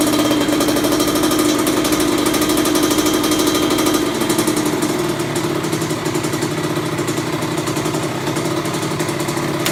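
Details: Kawasaki KX100 two-stroke, first start after a full engine rebuild and electrical fixes with an OEM Kawasaki stator, idle and air-fuel mixture adjusted: small steady, crackly idle buzz holding speed evenly with no knocks, misfires or stalling.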